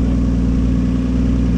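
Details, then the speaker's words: Toyota Supra truck with a 7M-GTE turbo six, warm, after oil pump/oil pressure upgrade and a Supra fuel pump fitted: steady, smooth idle with an even low pulse, no ticking, knocking or hunting, no leaks; high oil pressure, normal idle. "Sounds good, bro. No leaks. Sounds real good."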